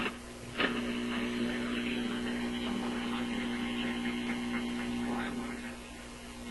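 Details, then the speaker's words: RCA Victor 65U radio/record player after power supply capacitor replacement, tuning across the band: low steady garbled, wavering hum over stations, suspected hum getting into the IF; not power supply hum since it vanishes with volume down. "Okay, so that sounds to me like some kind of hum getting into the IF or something of that sort. That's what I imagine when I hear this kind of garbly sound. It's a very characteristic sound."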